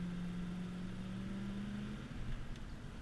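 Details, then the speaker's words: 1996 Ford F250 4x4 with 460 big-block V8 and automatic overdrive, driving under hard throttle: deep, healthy throttle-body drone climbing in pitch, normal acceleration; slight exhaust leak noted that fades as the metal warms. "got nice acceleration it's got that nice deep big block throttle body sound when you stand on it"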